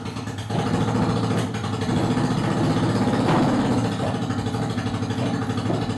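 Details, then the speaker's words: Honda Shadow V-twin first start after sitting, on choke: loud, lumpy idle with occasional cough back through the carburetor; owner says unblocked vacuum ports lean the mixture, considered normal. "i'm getting a little uh card cough but that's kind of normal none of my vacuum points are actually like blocked off like they should be so when it sucks in a bunch of air the mixture leans out super fast and it'll cough through the uh the carburetor"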